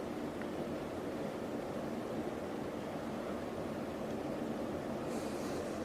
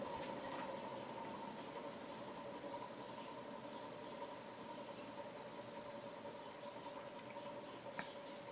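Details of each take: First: Antique ceiling fan with no down rod, stepped from high to medium and low: even soft whoosh of air with no knocking, wobble or rattle; fan well balanced and quiet, running normally. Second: Ceiling fan with reversing switch, on high speed: quiet steady hum with a faint squeaky ticking edge, still clicking slightly on low; suspected bearing noise.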